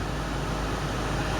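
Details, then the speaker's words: 2005 Mitsubishi Endeavor cabin blower on heat after replacing the blower resistor (BR271): steady even rush of air with low hum, no rattle or squeal; blower running strong and healthy. "It's blowing forcefully as it should."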